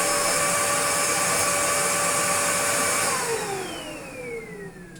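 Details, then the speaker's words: Restored Dyson DC02 DeStijl with suction restored, cleaning a floor: strong, even high-pitched motor whine holding steady, then winding down smoothly at switch-off. The vacuum motor is running normally. "But the raw suction, when they're good, is really, really, really, really good. Let's get it dirty and give the floor a quick clean."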